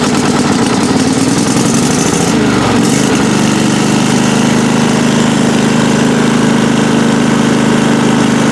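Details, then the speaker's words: Craftsman riding mower engine (Toro-badged) not run in a while, after adding a little gas: ragged cranking for two seconds, then catches and settles into a steady even idle. Normal start and idle. "Ooh, there we go. Yeah."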